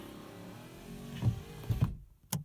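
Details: Rover SD1 early Series 2 driver's door with a sticking window regulator the owner failed to fix; a low motor hum with a few clunks as the glass travels up and stops at the top. Going up runs smoothly.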